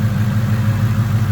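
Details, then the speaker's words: Ford Coyote V8 after the cam phasers were reassembled to cure a timing chain chirp and rattle: a smooth, even idle at 750 rpm while warming up, coolant 189, oil 29 psi. No chain chirp or rattle, much quieter than before. Normal idle. "we're at a pretty calm 750 idle just about to turn the fans on for the first time I think on the warm-up cycle"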